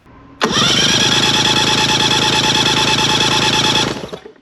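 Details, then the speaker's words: Mercury 50 hp three-cylinder two-stroke outboard cranking during a compression test. A fast, even beat of about 3–4 turns a second; readings of about 115, 110 and 110 psi show a healthy power head. "Okay, so on the bottom cylinder, looks like we have 110 as well. So we have a good, healthy power head."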